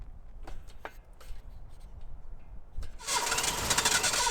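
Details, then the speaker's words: Datsun 260Z that wouldn't start, on its first real start attempt with plugs in after spark was confirmed, throttle worked by hand. Quiet cranking with a few stray pops, then a hissing rush as it nearly catches but never runs. Cranks, no start; the carburetors were later rebuilt. "Oh, we're almost. Disappointing, but not unpredicted."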